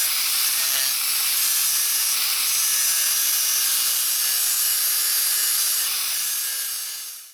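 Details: Bosch 4-inch angle grinder (model unknown, sticker worn off after many years) running after its worn bevel gear was replaced: steady, high, airy whir holds evenly about seven seconds with no knocking or grinding, then spins down; runs smoothly, repair finished.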